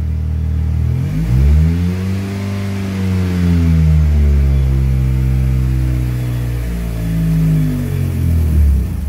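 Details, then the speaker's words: 1995 Mitsubishi Eclipse, manual, just fitted with a new clutch, won't drive: the engine revs unevenly, then bogs and dies when reverse is engaged and the clutch released. Stalls instead of moving the car, cause unknown. "just died so yeah that's what I'm having issues with"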